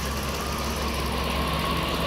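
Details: Dodge Ram 1500 (codes P0108/P0152/P0390/P2172; RPM had been rising erratically) idling after a loose connector was locked, with the wire being wiggled: steady, even idle, no hunting or surging, faint constant whine, running properly.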